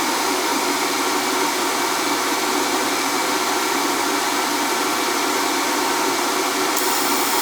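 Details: NTI boiler with Riello oil burner that would not fire, with a carbon-fouled head: steady even hiss-roar of blower and flame, no pulsing, rumble or cutting out; burner firing steadily.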